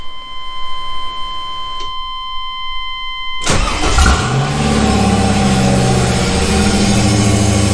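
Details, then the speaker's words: LS1 V8 swapped S10 pickup, cold, with no intake tube or air filter, untuned: chime, short crank, then it catches at once and holds a fast steady idle near 1500 rpm; high idle, tuning likely still needed. "There it is. So that's it. Gumby runs. Crank's right up. Idle's kind of high."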